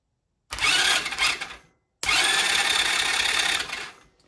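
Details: Chinese 125cc ATV engine after a top-end rebuild (new piston and rings, rehoned cylinder), starter wired directly to a 12V battery; two bursts of steady, even high whirring cranking with no grinding; compression then 150.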